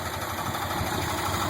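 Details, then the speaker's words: 1986 Jeep CJ7 258 straight six, Weber 32/36 carb, ceramic-coated header, after cold start: low, even idle with no misses, knocks or tapping; smooth and healthy. "as you can hear she's healthy it goes right back down to a very smooth"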